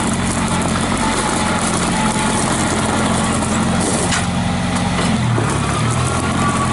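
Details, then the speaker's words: 1955 Farmall Cub tractor, mostly original, 3 forward/1 reverse, stored all winter with battery maintainer; starts with no issues, good oil pressure, no blow-by; low, even, quiet idle with steady firing and no knocks; normal idle. "you can hear how quiet that tractor is"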